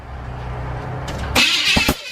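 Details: SBC 350 small-block Chevy truck engine just rebuilt, first start attempt with low battery: low rhythmic starter cranking about a second then loud sharp bursts and fireballs, no steady run; turns over but doesn't catch.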